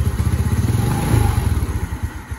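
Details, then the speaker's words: Restored Yamaha Mio Nouvo scooter idling with a rough, uneven clattery chatter that disappears at higher throttle; worn one-way starter clutch, replacing only the rollers didn't cure it, full set needed. "itu suara one nya udah habis aja"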